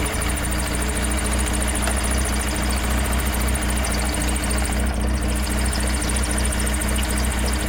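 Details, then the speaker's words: Rat rod engine running after coil wire reconnected: high rapid chirping squeal over steady engine rumble from the engine-driven air compressor belt; belt loose, tightened and oiled. "Alright, now I got a belt squeaking. That's for my engine driven air compressor."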